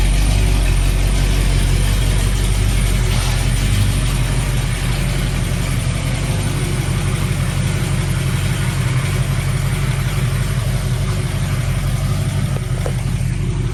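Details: 1974 AMC Hornet wagon V8 just after fitting a milder third camshaft (previous cam had a collapsed lifter, diesel-like noise), about 11,000 miles, distributor not yet timed: steady even low rumble, no ticking or clatter; idles smoothly and healthy.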